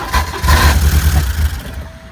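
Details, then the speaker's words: 1987 Porsche 924S with a clogged fuel system, running on starting fluid: catches, revs for about a second and a half, then fades and dies; owner suspects the replacement injectors aren't firing or are plugged, clicking heard but no spray. "I'm gonna have to start checking the injectors now and even if there's a bad fuel pressure regulator it should start up it just won't run well and then it was shut back down so I'm thinking these injectors just aren't working"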